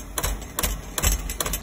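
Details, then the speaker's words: Beckett oil burner furnace, 1 GPH 80° B nozzle, flame cycling on and off: sharp clicks in bursts about twice a second over a low thump as the primary control contactor chatters; primary control judged bad. "so I just heard something a little differently this time is when every time the flame is kicking on on off on off you can hear actually the contactor inside of the primary kicking in and out the electrical switch inside um which is telling me pretty much your primary is bad"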